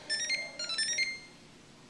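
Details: GE fridge: control panel buttons (lock, ice on/off) press themselves day and night with nobody touching; quick bursts of high electronic beeps with pauses; cause unknown.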